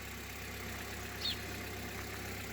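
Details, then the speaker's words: 20-year-old Opel Zafira with 290,000 km, recently driven from Murmansk, at idle: quiet, even low pulsing with no knocks or ticks. Said to run quieter than the Solaris; healthy idle. "работает тише чем solaris"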